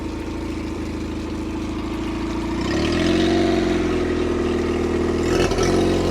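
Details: 2004 Nissan 9.8hp outboard on a stand, after broken fuel pump hose clamp fixed, plugs fairly new: steady buzz picking up smoothly as throttle opens, no stumbling or misfire; runs great despite a quoted full tune-up.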